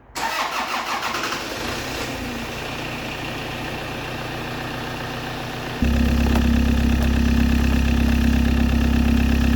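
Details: Toyota RAV4 after a new alternator, belt and refitted CV driveshaft: a quick crank, clean catch and steady, even idle with no knocks, squeals or misses. It is charging at about 13.9 V.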